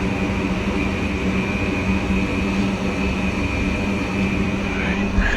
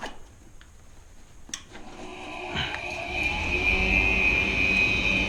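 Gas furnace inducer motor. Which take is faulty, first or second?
second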